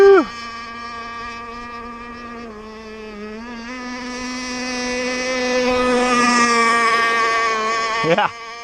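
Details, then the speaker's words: 30cc two-stroke (carb thought to be 2048, needles 1¼ turns out, stock settings) on an RC T-44 catamaran in cold water: buzzy tone wavers and climbs unevenly, soft and blubbery at the top; mixture way too wet, and the prop needs work. "Definitely need some help in the prop, and way too wet."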